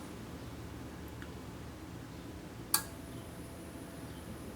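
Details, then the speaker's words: Samsung refrigerator with suspected failed compressor, quiet room: a few faint ticks, then on the third click a sharp control board relay click sends AC voltage to the compressor motor and capacitor; relay clicks before compressor start. "One click, 2, 3. So right after the third click, I've got my voltage going to the motor."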